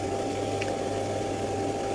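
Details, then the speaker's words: Hayward 1.5 HP pool pump after its noisy bearing was repaired or replaced: it runs with a smooth, steady low hum and a soft water rush, free of grinding or rattling. Normal running. "ini suara dari pompa kolam tersebut tersebut ini sekarang dan Alhamdulillah sekarang Le sudah nyaman sekali"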